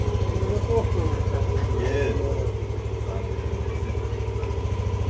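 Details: Yamaha Aerox 155 keyless scooter with CKP sensor problem and error 12, idling steadily with an even, low thrum and no misses or knocks after being started once sensors were refitted.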